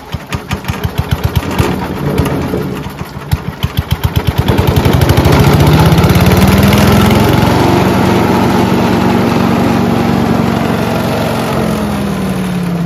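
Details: Mighty Mac wood chipper/leaf shredder, Briggs & Stratton engine, after rusty seized choke flap replacement: a few pull-cord tugs, engine catches, revs up and runs steadily; starts and runs properly, though vibrating heavily.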